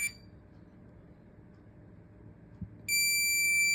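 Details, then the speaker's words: Minelab Profind 40 pinpointer: after a quiet pause, one long, high, steady beep of about a second after holding minus for 3 seconds, confirming ferrous mode off; ferrous mode off confirmation beep. "இப்போ of ஆயிடுச்சு."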